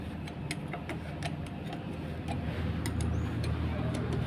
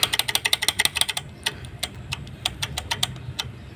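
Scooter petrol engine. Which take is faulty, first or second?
second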